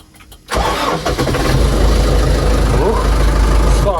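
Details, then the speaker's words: Hattat A110 tractor, first start after winter, diesel pumped through: catches within a second of cranking and settles into a steady, even low diesel rumble; clean, healthy cold start. "зразу завівся гарно"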